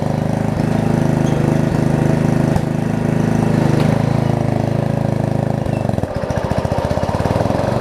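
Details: Murray rear-engine riding mower, single-cylinder, after new blade, drive belt, steering alignment and blade brake adjustment: steady even beat with no wobble or scraping, then settles lower; runs normally.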